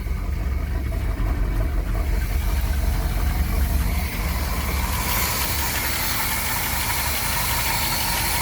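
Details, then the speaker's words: 1977 Pontiac Trans Am V8, first start after sitting since 2005, idling on its own and clearing up; loose, uneven light tick about three per second over low rumble, owner suspects a lifter tick and not firing on all eight, expects it to smooth out with idling. "yeah here a lifter tick I mean it probably just needs to idle for a bit"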